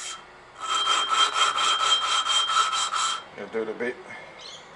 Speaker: You can hear it grinding. And you'll see it starting to grind all the crap off the thing, all the burn marks and all the if there's any pit and anything.